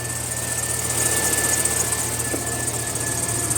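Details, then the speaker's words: 2004 Chevrolet Silverado idling at startup: thin, steady whine and racket from the bad pulley bearing on the serpentine belt tensioner arm, to be replaced with a new tensioner pulley assembly; crickets chirp behind. "that little arm right there with the uh tensioner uh arm that that pulley on there is bad making all that racket so we're going to be replacing that today's video"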